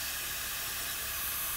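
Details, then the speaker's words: 4.4 TDV8 L322 Range Rover during damper replacement with the engine off. Air is let out of the suspension airbag to pull the strut down, giving a steady unbroken hiss of escaping air: the air spring deflating. "this would be really easy if i let the air out the airbag actually i'll just do that"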